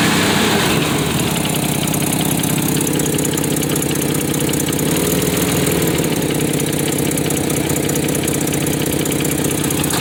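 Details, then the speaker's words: 1993 Nissan Pathfinder 4x4, 5-speed manual, 205k miles, with power loss from a suspected failed injector: steady idle with fast sharp ticking about four per second, traced to an exhaust manifold leak. "But that noise is all over here. Exhaust manifold."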